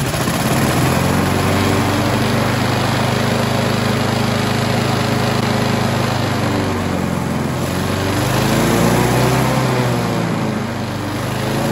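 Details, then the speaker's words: Briggs & Stratton 4-stroke on an alloy-bodied Scott Bonner lawnmower that under-revs while cutting: it chugs at low steady speed, then rises to far better RPM as the carburetor butterfly is worked by hand past the external governor. "you can see that I can manipulate the butterfly that comes straight off the carburetor into the engine and I can control the speed getting far better RPM"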